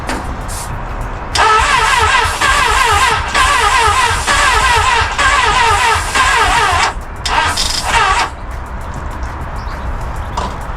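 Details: Crash-damaged Honda Hornet, starting fluid sprayed into air intake: starter whirs in steady bursts of several seconds with even chugging rhythm, turning over but never firing; crank no start.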